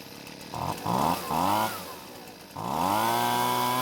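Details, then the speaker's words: Husqvarna leaf blower, hard to start, started without choke: engine bursts in short sagging revs then climbs to a high held buzz; carburettor over-fuels on startup then underdelivers on throttle. "runs well we've got quite the situation with the carb first off it seems like it's giving too much fuel to the engine on Startup but after that it's not able to deliver the correct amount of fuel when squeezing the trigger either"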